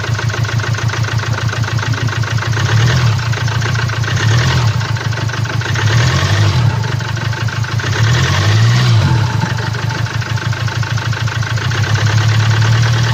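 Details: 2017 Land Rover Discovery TD4, 2.0 L (1999 cc) 150 hp diesel, engine code 204DTD, 175,719 km: heavy deep diesel idle with rough uneven tapping on top, caused by a defective fuel injector.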